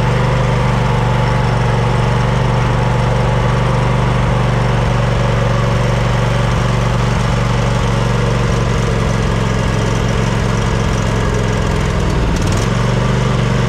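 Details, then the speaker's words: Snapper LT200 riding mower that cranks but won't start: a steady low chugging idle, about four beats a second, stumbling near the end. It is running on residual fuel from a filter stuck into the carburetor because the fuel pump isn't pumping well. "Well, it wasn't pumping all that great, and the reason the engine was running is because I had this fuel line with this fuel filter poking into the carburetor, and it was running off the fuel that was in that fuel filter."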